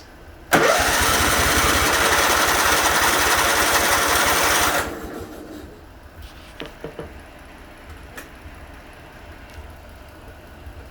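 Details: Kohler CV20S engine that won't start: starter churns at a steady beat for about four seconds but the engine never fires or picks up speed, then goes quiet.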